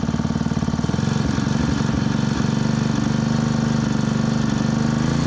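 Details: Honda WX15 1.5-inch water pump, started after sitting three years, choke off: small single-cylinder engine chugs at a steady, even beat with no misses or knocking while the pump primes; running normally.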